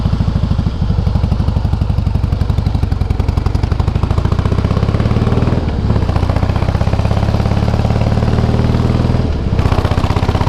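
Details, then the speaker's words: 2008 Harley-Davidson Softail Heritage with Screaming Eagle exhausts: a lumpy V-twin beat with a light metallic clatter and an iron-like vibration felt only when downshifting or at low revs, none at high revs. Primary drive noise. "tou reduzir aí você sente a vibração toda parece um um ferro e só faz quando reduz cara não não não faz barulho em alta mais nada"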